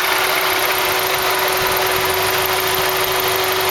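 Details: Idling engine with a light, continuous metallic rattle under a steady hum, first suspected to be the timing chain and guides; turned out to be the alternator pulley, and the rattle was gone after the fix.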